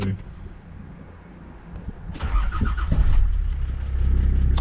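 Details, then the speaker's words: GU Patrol with swapped TD42 diesel engine: short crank, catches in about two seconds, then idles nice and smoothly with a steady low clatter, no stumbling. "there you go. Idles nice and smoothly."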